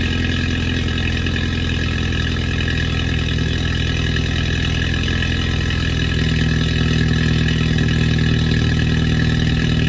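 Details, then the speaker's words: BMW 320i F3x with N20 engine, start-up after downpipe installation: even, slightly fast cold idle with regular pulse, no exhaust ticking or leak hiss; normal cold start idle. "So we're gonna start it up right now. I'm gonna show you guys a video before and after, and it's a 320 with the N20 in it."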